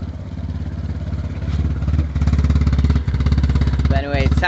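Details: BMW E36 at idle: uneven, stumbling exhaust pulse with irregular gaps in the beat; bad misfire, cause not identified.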